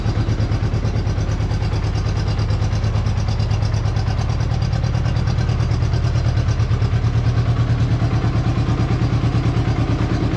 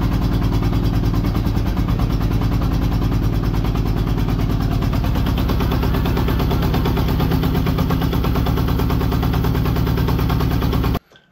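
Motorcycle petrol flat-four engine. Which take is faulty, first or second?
second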